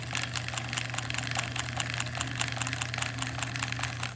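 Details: 1950s Singer 306K sewing machine running a zigzag stitch at a steady pace: a sharp click on every stitch, about two or more per second. Cause unclear.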